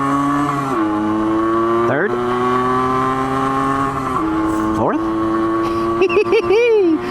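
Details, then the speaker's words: Yamaha GT80 two-stroke enduro on a cold, icy road after a few changes, accelerating through first and second gear. Crisp buzz climbs cleanly in each gear with a quick drop at every shift, pulling smoothly; normal running under acceleration. "oh she's running nicely i like it i like it a lot"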